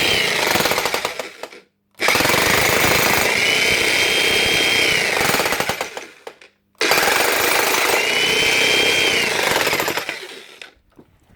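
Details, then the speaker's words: Logan cheap electric breaker hammer: rapid hammering runs a few seconds then fades and cuts out, restarting; hammer action drops out, suspected worn O-ring seals losing compression or lack of oil, grease still present. "It's coming on and off the hammer. Hammer for a bit and then she'll drop off the hammer."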